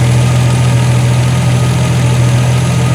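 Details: 1976 Triumph TR6 idling, being left to run out of fuel: low even hum, steady beat, no knocks or misses; smooth quiet normal idle. Fuel leaking at the o-rings.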